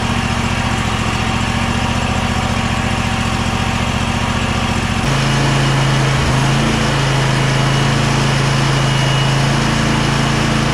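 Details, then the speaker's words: Kohler 7000 series KT745 twin engine on a Bad Boy zero-turn mower bogs down after about 20 minutes of running; steady throb drops to a lower, rougher labouring note as it loses all power under load. Fuel flow is good and clear, reportedly ethanol-free. "after I don't know maybe 20 minutes of running or so as you can tell it sounds like it lost all power"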